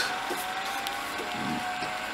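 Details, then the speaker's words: Front-load washer that thumps while spinning; the drum, spun by hand, turns quietly and freely with no grinding or rumble, so the bearing is not the problem. "spins freely it wasn't making any bearing noise so I don't see this as a problem"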